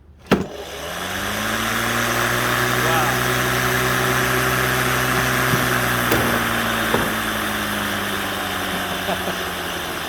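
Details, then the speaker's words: Neuton 14-inch mower (Aero CE2/CE3/CE5) on spare motor, after fitting a new blade: motor spins up quickly to a smooth steady hum holding pitch without bogging; night-and-day improvement, old blade thought to have been straining the motor. "Holy cow. That is like night and day. So, I don't know if you can hear the excitement in my voice, but very, very happy."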